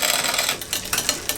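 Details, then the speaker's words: Bicycle rear derailleur after freeing a tight chain link: fast freewheel ticking with a few chain clacks as it drops a cog, the change lagging rather than instant; indexing needs adjustment. "right so it's dropping down but not instantly the mdal so okay Top's okay so right so may what we need to do is adjust the end"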